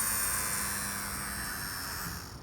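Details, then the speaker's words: Older Mercedes-Benz with PZEV sealed tank, fuel pump removed and bench-powered from a battery with alligator clips: thin high whine runs briefly after tapping, then fades and dies after about two seconds; pump judged shot. "turns on or it's not turning on again one more time running all right so it's safe to say that this pump is shot"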